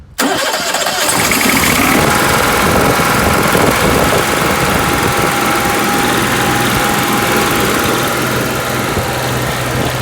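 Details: Onan 5500 generator that ran 15 minutes then shut off, after replacing the fuel pump and filter, fuel pump primed before start; starts promptly and holds a steady, even drone with no surging, stumbling or dying; normal running.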